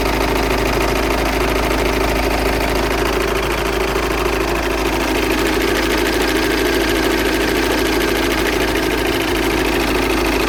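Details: Passat 2.0 TDI diesel idling; rapid, fairly even light knocking rides over the idle as a foreign noise from the engine bay, cause not pinned down.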